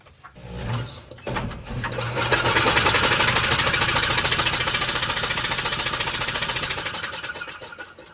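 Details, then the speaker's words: Cushman-type mini mail delivery vehicle left sitting about 30 years, spun over with the spark plugs removed: a fast, even whirring spin with no compression pulses, blowing a lot of air from the cylinders; engine cranking freely. "Well, that should clean their cylinders out, huh? Yeah. All right, let's throw the plugs in it."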